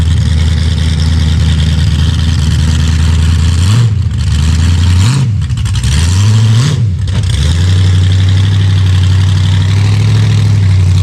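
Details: Chevy Vega with a 5.3 LS V8 swap, just started in cold weather. The idle rumbles steadily, then dips and surges unevenly for a few seconds, breaking up like a misfire; the owner suspects the cam sensor, which is not confirmed.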